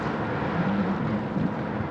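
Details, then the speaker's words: Foil Drive electric foil-board motor with two-blade propeller, throttle dumped a little late as it pops out of the water: rough churning roar with wavering low hum from propeller cavitation. "So, that I did a little bit late and you can hear the cavitation."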